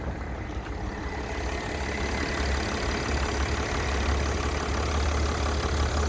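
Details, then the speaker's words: 2009 Mercedes-Benz E320 during a pre-purchase inspection, oil, brake fluid and coolant tested good: smooth, quiet, even idle with a soft low hum and no knocks, ticks or misses. Healthy engine. "I don't hear any any issues nice and quiet service do it says but again runs nice and smooth"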